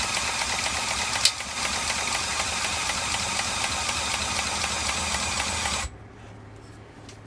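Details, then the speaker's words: 1987 Snapper mower engine, freshly reassembled and cranked on a stand: steady light ticking, about four a second, keeping pace with cranking, then it goes away; owner suspects a valve spring, not confirmed. "one has that noise too but then it goes away then it's got to be a valve because that's what it sounds like it sounds like one of the springs"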